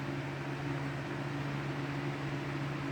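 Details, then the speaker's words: Lasko 3733 box fan with larger capacitor and second back grille, running on low speed: steady low hum and airy rush, loud but quiet enough for conversation, no rattles or wobble; normal operation. "it's loud it's a bit noisy i it's good enough where you can still have a conversation around it"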